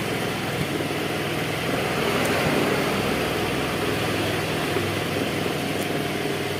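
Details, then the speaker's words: Carbureted Honda Vario 110 scooter with the battery disconnected: keeps idling steadily with an even, quick beat and no stumbling, showing the charging system is working; normal idle. "Oke ya, kita cabut. Ini masih bisa hidup, menandakan pengisian masuk."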